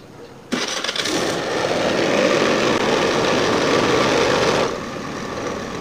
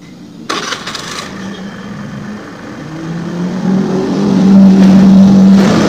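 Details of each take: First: Old Honda Scoopy FI scooter on centre stand, throttle body before service, idle screw being adjusted: catches and runs at a fast, uneven idle for about four seconds, then drops lower; idle won't come down, air leak past worn throttle body. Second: Old Honda Scoopy FI that died when throttled, after injector and throttle body service and idle adjustment: engine climbs smoothly in pitch as the throttle opens and holds steady without stumbling; pull now light, idle stable.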